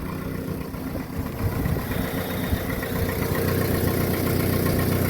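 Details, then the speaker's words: VW Mk4 Golf idling after the back box was replaced with an exhaust taken from another car: low, slightly chuffing puff in the rhythm. Still a small exhaust leak somewhere, though not as bad as before. "So we'll start her up now and see what she sounds like. Sounds like there's still a bit of a hole somewhere."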